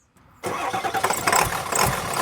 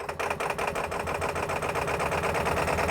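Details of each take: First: Ford F350 diesel with a crank-no-start fault, restarted after the fuel tank was cleaned: a short crank, then it catches right away and settles into a steady diesel clatter. A clean, prompt start. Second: Ford F350 diesel with a crank-no-start fault, now running after the fuel tank and fuel bowl were cleaned, with low fuel. The idle clatter has an uneven, hunting beat, as if starved of fuel.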